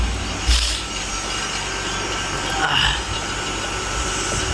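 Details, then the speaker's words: Vacuum pump on a 1-2-year-old fridge after an evaporator leak repair, about 15+ minutes in: even drone with steady high hiss, no surging; gauge needle fully in minus range, good vacuum, normal. "Vacuum চলছে, দেখতে পাচ্ছ কাঁটাটা focus করি, একদম পুরো মাইনাসের ঘরে আছে, মানে ভালো করে ভ্যাকিউম হয়েছে।"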